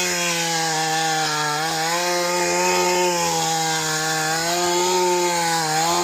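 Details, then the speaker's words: Mantis tiller after shattered-piston replacement and carburetor cleaning: strong steady buzz dips only slightly as it digs, no knock or misfire; normal running under load. "I think our fix with the piston works just fine. I'm going to give it a rest here. Try to break it in a little easy."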